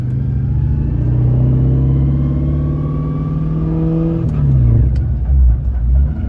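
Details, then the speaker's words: Saleen Mustang with Terminator swap and T45 manual transmission, about 500 miles on it with this motor, while driving: steady drone under load with a rising whine climbing with road speed, like straight-cut gears; manual transmission gear whine, T45 possibly failing. "Doesn't sound uh doesn't sound the best, honestly. Sounds like we installed some straight cut gears. This thing kind of sounds like a sequential trans if you've ever heard them. They have a lot of gear noise."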